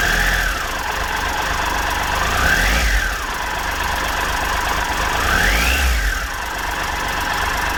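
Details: 2013 Triumph Tiger Explorer triple, 34,000 km, idle after cam chain, hydraulic tensioner and exhaust gasket replacement: steady idle with a light, even tick about four per second, nothing heavy or irregular; normal valvetrain tick.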